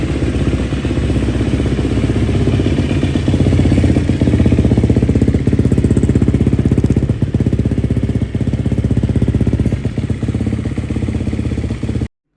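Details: Gas Gas motorcycle engine's first start after a top-end rebuild; crisp, even single-cylinder beat at about four pulses a second holding steady throughout, running normally.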